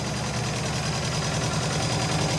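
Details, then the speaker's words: DIY turbo Subaru, freshly machined and reassembled heads, engine very dry: fast steady tick over rough idle; owner suspects a lifter, fears bottom end; earlier ticking quieted down after first install. "remember when i did the motor first when i put the motor in it was really ticky"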